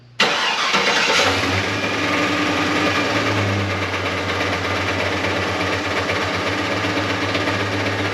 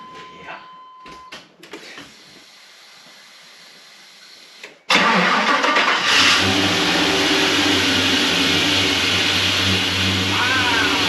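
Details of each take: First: LS-swapped V8 sleeper cranks and catches, then idles with an uneven knocking pulse about four a second coming from underneath, felt as a shake through engine and drivetrain: broken flex plate / torque converter knock. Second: LS-swapped V8 truck after new flex plate and properly tightened torque converter bolts: cranks, catches, settles into a smooth, even idle with no tick or rattle.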